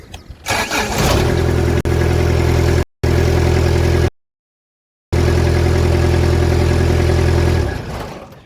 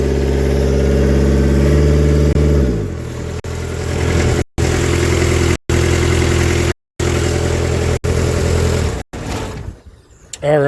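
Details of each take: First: Kubota F3680 diesel 4x4 72-inch mower: it had earlier run out of fuel through a weak-battery fuel pump, and the injectors were cracked and bled. Now the starter catches quickly and the engine settles into a smooth, steady low idle; normal start and idle. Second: Kubota F3680 diesel 4x4 mower: engine runs rough, then stumbles and sputters with cut-outs and black smoke; it ran out of fuel, likely because the fuel pump got too little power during earlier battery problems.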